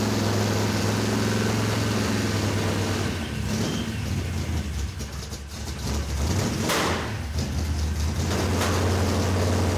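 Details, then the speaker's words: '56 Chevy field car with freshly built V8 on first fire-up: lumpy, uneven idle that sags and recovers, sounding lazy and rough; ignition timing too retarded (initial about 10 degrees, running 24), to be advanced. "The ignition timing's too retarded, so I'll advance it a little bit. That was running at 24 degrees, and Yeah. initial was like 10. That's why it was bleh."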